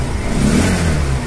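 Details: Bajaj Pulsar 125 BS4 after carburetor cleaning to cure missing and stalling: single-cylinder revs up cleanly and settles back, no stumble or hesitation; smooth even running after repair.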